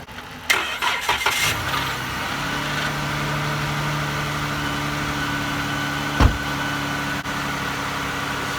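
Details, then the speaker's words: 2013 Dodge Avenger SXT right after battery replacement; previously died about 10 minutes after jumper cables were removed: about a second of uneven cranking with stumbling catches, then steady idle; hesitant start, owner unsure whether alternator or starter. "Started up, but it was kind of like it hesitated low-key. That's what it's been doing."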